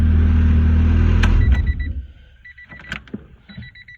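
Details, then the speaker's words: 1994 Honda Civic hatchback, hard starting fixed by replacing the ignition lock cylinder: fuel pump comes on, engine starts right up and holds a steady even low idle about a second before shutoff, then clicks; normal idle. "Now, fuel pump comes on. She starts right up."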